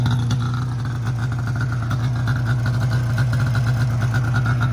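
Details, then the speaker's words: 2002 Arctic Cat ZR500 two-stroke snowmobile started cold with the key; steady, slightly lumpy burble with low even exhaust note, no knocks or rattles, could use a tune-up but nothing major; normal cold-start idle. "i'm going to fire it up right now while it's cold so you guys can see how good it starts it's a good running sled for sure you probably could use a tune up but i mean nothing crazy"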